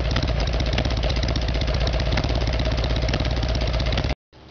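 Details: Harley-Davidson Evolution Sportster, rear cylinder was not firing: lumpy, uneven V-twin beat about four pulses a second, faltering rather than smooth; rough running from carburetor fault, before new iridium plugs and timing.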